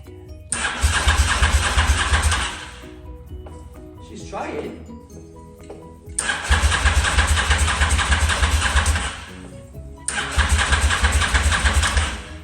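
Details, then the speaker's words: Honda motorcycle stored five years, ignition bypassed: three long cranking bursts with occasional weak firing that never catches; spark plugs found fouled and being replaced. "no no go but she's firing and you we've got power to the clocks right so although I've got power now to the bike and it is turning over you can see that these plugs are full B"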